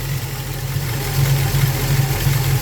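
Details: Ford Falcon 302 small-block V8 with carburettor and automatic, idle mixture screws reset to about one turn out from base during tuning: deep, lumpy but steady idle with a regular loping cam beat and no misses; normal idle.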